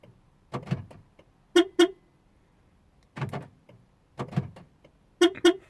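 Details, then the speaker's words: 2003 Porsche Boxster S 986, 3.2 L petrol, after passenger door lock replacement: lock actuators clunk with two short horn chirps, then more clunks and chirps as doors lock and immediately unlock; cause not yet found. "basically what happened is the central locking the doors lock and tray way they unlock again"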